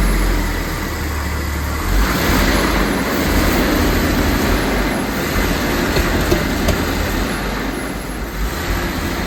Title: Jaguar XJ-S engine misfire